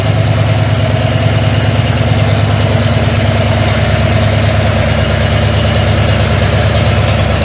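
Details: 1981 Ford F100, revived after sitting 24 years and due for a rebuild: deep heavy idle with a dull knock under each rotation, steady with no rev change; worn bearing knock.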